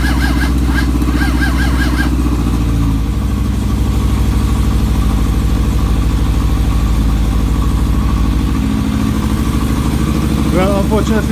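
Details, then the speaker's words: Suzuki GSX600F with a cold-start problem, battery charged from another bike: long cranking with brief sputters that never catch; carburetors soaking wet, owner suspects fuel flooding and plans to check the plugs. "the carburetors are soaking wet and they don't want to really fire up. So I have to take a little bit more investigation what's going on."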